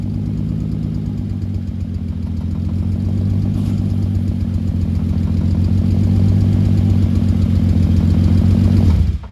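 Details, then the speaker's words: Rebuilt VR6 with new crank, rods and pistons, cold start recorded at the exhaust, no coolant yet: steady low drone with an uneven stumbling pulse about four beats a second that never smooths; misfire, owner suspects a disconnected wire. "We've got to I've got to trace down that misfire. I don't know what that is or why that is. Maybe there's a wire disconnected somewhere."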